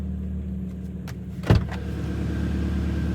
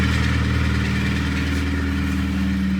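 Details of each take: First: 2011 Kia Cerato 2.0 G4KD automatic, about 184,000 km, after cylinder sleeving and full rebuild for piston knock and scored cylinders: first start, steady low idle hum, no knocking, ticking or errors. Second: 2011 Kia Cerato 2.0 G4KD, automatic, 184,000 km, at idle: steady idle with hard fast metallic clatter from piston slap in scored cylinders, plus rattling from accessories; engine to be torn down, block sleeved and fully rebuilt.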